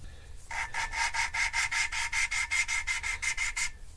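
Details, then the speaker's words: Subaru EJ25 cylinder head off the Outback engine, valve lapped by hand with suction-cup tool and abrasive compound: rhythmic gritty rasping about 2.5 strokes per second, more grinding after repositioning, quieter as the seat laps in. "And notice after you do that, you'll hear a little more grinding, and it gets quieter as I go."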